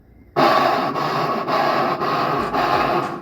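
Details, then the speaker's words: Electrolux LT12 washing machine during the spin cycle: harsh rasping scrape pulsing about twice a second, caused by worn teeth on the motor-to-drum coupling pulley that no longer engages properly. "se a sua máquina lavar tá fazendo um barulho estranho na centrifugação como se tivesse raspando algo o problema pode ser mais simples do que parece em muitos casos o barulho ocorre devido ao desgaste ou falha no acoplamento da polia"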